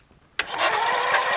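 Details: Briggs & Stratton 13.5 hp flathead lawn tractor engine after a mouse nest was cleared out; it has spark. Starter grinds over lazily at about five compression pulses a second, too slow to catch; slow cranking.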